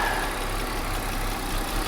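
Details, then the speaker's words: BMW X5 at salvage auction idling with a vacuum line removed: idle turns uneven, lumpy low rumble with faint existing tick; idle clearly changed, likely an unmetered vacuum leak; line reconnected restores smooth idle. "You hear how the idle completely changed. All right, well, let's put that back on because she didn't like that."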